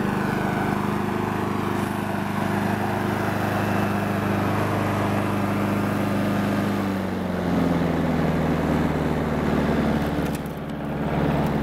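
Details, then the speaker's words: Honda Harmony 215 mower, warm, after third carb cleaning (main jet cleaned, idle mixture port uncleanable due to broken screw): steady even hum with slight settle, runs really smooth — normal running. "really smooth and backs up good now."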